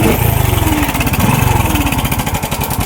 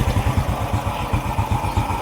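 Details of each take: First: Motorcycle engine: busy metallic top-end rattle rising and falling with two throttle blips, from a weak-spring cam chain tensioner, confirmed on removal. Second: Motorcycle idling after the cam chain tensioner was replaced again with new: steady even low thump, noise fixed.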